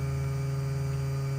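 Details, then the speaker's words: 1984 Mooney M20J, auxiliary electric vacuum pump switched on to drive the gyros: steady, even low electric hum with no ticks or wavering; aux vacuum pump running smoothly. "And in this airplane, you do have an aux pump for the vacuum, so we're bringing that up now."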